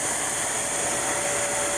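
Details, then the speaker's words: 2010 Mercury Mariner 2.5L, recorded under the vehicle at the exhaust: steady loud airy rush with no rhythm, exhaust hissing out through a huge hole and cracks; exhaust leak. "you can see I got air coming from here it's a it's a it's a huge hole"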